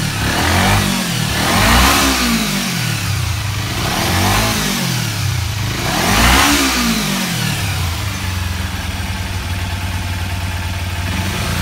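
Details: Kawasaki Ninja 250R race bike after carburetor cleaning and new spark plugs, previously dying off throttle and bogging; revs cleanly up and down from idle without stumbling, no longer bogging.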